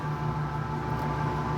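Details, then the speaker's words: Italianinha soft-serve ice cream machine, previously motor only humming without starting, after repair: left production side switched on, compressor starts and runs with steady low hum and clear mid tone, beginning to chill normally. "vou ligar aqui na parte de produção esquerda olha aqui galera ó ó até partiu compressor já ó tá vendo aqui se partiu compressor"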